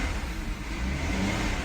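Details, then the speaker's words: 2013 Volkswagen CC Lux 3.6 after engine rebuild, first run, warming up, not yet at temperature: short clean throttle blip, smooth even rise and fall, no knocks or rattles; healthy, strong-pulling engine. "Oh, she wants to go. I can feel that engine."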